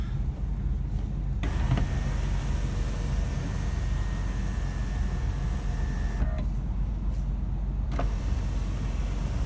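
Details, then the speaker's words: 2001 Nissan Maxima A33 3.0 automatic, two-position sunroof (tilt or full open): steady even motor whine about five seconds as roof slides open, stops cleanly; normal sunroof operation. "люк люк у нас двух положениях это просто вверх или люк может открываться полностью"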